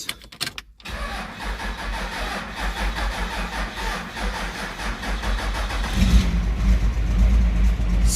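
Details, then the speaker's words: Gen 2 Dodge Ram 2500 12-valve Cummins diesel after Banks Twin Ram intake install, first start after bleeding injection lines: cranks, catches, then lumpy uneven idle with stumbles and surges; hesitation from air in lines, expected to work itself out. "you hear the hesitation and all that that's gonna work itself right out"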